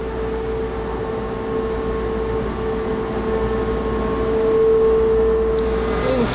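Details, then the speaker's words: CNC mill machining knife handle topsides: steady high-pitched squeal near 450 Hz over spindle hum, leaving dots on the fixture; end mill contacting fixture. "can you hear that squeal see if i can get this on shot having a bit of an issue with the starburst pattern"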